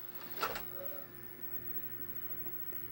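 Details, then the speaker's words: Xbox 360 with a faulty disc tray, after cleaning and reassembly, closed by the button with a disc loaded: a short whirr and soft clunk as the tray draws in, then a faint steady hum; the tray closes normally and the disc then reads. "let's put that in there and we'll go ahead and just use the button to close it"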